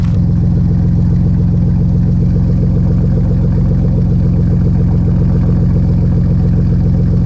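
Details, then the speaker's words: Cold start of a hoopty van with 100% straight-piped exhaust made from EMC electrical conduit, before the muffler install: a loud, deep, steady burble with a lumpy pulse and no muffling at all. "let's get a cold start on this hoop D to see what it sounds like just for reference so this is 100 straight piped we used um EMC electrical conduit from a large industrial solar installation um"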